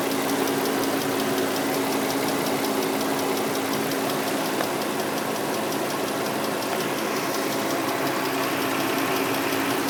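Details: 2003 Nissan Murano engine ticking that just started: fast, even ticking steady over a smooth idle; recent fresh CVT, power steering and brake fluids, Castrol synthetic oil still good, new air and cabin filters; source not pinned down, owner taking it to dealer.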